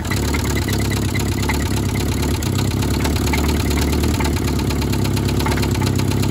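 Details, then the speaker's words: 1972 Toyota Celica 18RC, first running in 26 years after an original carburetor rebuild, in cold weather around 30–41°F. Steady low idle with light metallic clatter over the exhaust beat. No blow-by; exhaust leak suspected, with exhaust and intake manifold replacement planned. "we got no blow by that's a good sign sounds a little bit clanky but once we get that changed out it will sound better"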